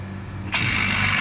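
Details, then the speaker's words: New three-phase 6-ton AC compressor bench-tested outside the unit before fitting: kicks on with a sudden steady hum and hiss, running evenly without knocks or rattles; compressor is fine. "ये आप देख रहे हैं, ठीक है। Compressor हमारा सही है बिल्कुल, ठीक है।"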